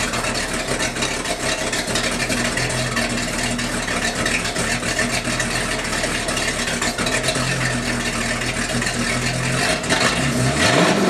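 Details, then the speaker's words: Sea Ray 220 with 7.4 big-block V8 on first cold start of restoration, about 65°F, on standard tank gas with some water in it; steady smooth idle, no misses or knocks, occasional slight stumble attributed to water. "but it seems to be running okay it's smooth as silk"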